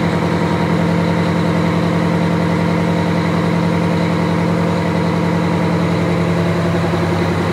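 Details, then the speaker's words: Wanderlodge bus diesel after kingpin work, new oil pan gasket, fresh coolant, oil, transmission and hydraulic fluids, brief run: deep even idle with steady low thrum, no knocks or misses; normal idle. "you can go ahead and start it we're only going to run it for about 30 seconds and if you want to go up front just confirm oil pressure once it starts and then about 30 seconds we can shut it off"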